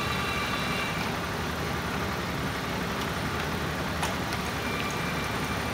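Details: 1987 Ford Ranger after TFI no-spark repair and fuel pump wiring fix, idling in neutral: steady even idle with no misses, knocks or surging; running smoothly.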